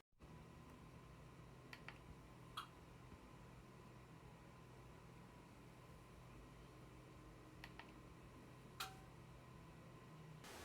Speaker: when you turn on and off the tv it makes a clicking noise i will give you an example